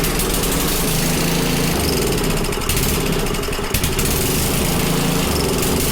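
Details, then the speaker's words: Small Predator single-cylinder engine (roughly 96–110 cc) on a front-tine rototiller, just started after choking: it runs, but with a surging, uneven note rising and dipping every second or two; a carburetor problem is stated. "well runs that's good bad news is we have a car problem"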